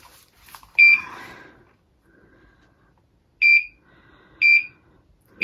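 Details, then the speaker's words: LVAD heart pump controller (pump at 5,200 RPM) during a battery swap, with one battery deliberately left out too long: after a pause, loud shrill beeps about once a second; alarm because no battery was reinserted. "And since we're doing this, I'm going to let you hear what it sounds like if I wait too long and don't put the battery in."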